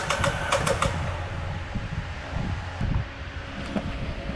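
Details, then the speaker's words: Audi Q5 2.0 TFSI towed in as a non-start after timing chain failure, cranking during a compression test on cylinder 1: sharp metallic taps over fast, uneven cranking with no compression; pistons striking bent valves. "It sounds like the pistons are touching the bent valves."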